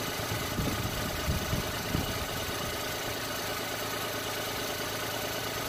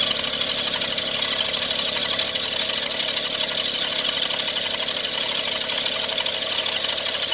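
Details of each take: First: Every van engine at idle after work on the air-con compressor mounting, while chasing a horrible noise suspected from the AC compressor bearing, alternator bearing, crank pulley rubber or belts; smooth, even hum with no squeal or knock, called fixed. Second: Every van engine before any repair: steady harsh high hiss and rasp over a faint idle with no knocking rhythm; owner suspects AC compressor or alternator bearing, crank pulley rubber or belts; water pump bearing noise.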